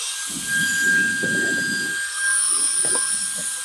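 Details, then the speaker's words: GOOLOO F3 150,000 RPM battery air duster blowing cardboard dust: steady high-pitched whine with a smooth airy rush, no wavering or rattle; motor healthy. "Now I will mention with most of these, including this one, when you're on high, it will stay really high for a little bit, but then you'll hear and feel it starting to go down."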